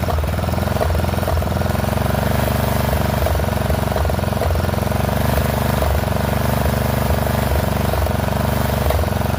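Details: Poulan XT 12538 riding mower, 12.5 hp single-cylinder, 38-inch deck, warm, after new carburetor replaced one leaking fuel into crankcase: uneven thumping, beat stumbling and dipping about every second. Rough running; owner suspects intake/exhaust valves out of adjustment.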